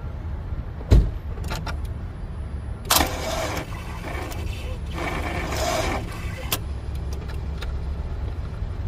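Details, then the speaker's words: 2009 Chevy Cobalt with 330,836 miles, key turned in a parking lot: isolated clicks and short, weak whirring bursts, and the engine never turns over. The starter is bad and needs replacing. "So clearly the starter's bad. I do have my tools, but I don't have a starter with me, obviously."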